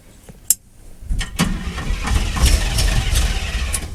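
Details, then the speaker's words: 1979 Chevrolet half-ton with a rebuilt carburetor, which later shows a fuel leak: a click, then it cranks and catches into an uneven, lumpy beat that never settles; rough running from ignition timing being off. "you can tell it's got a timing issue which is why it doesn't rotate evenly"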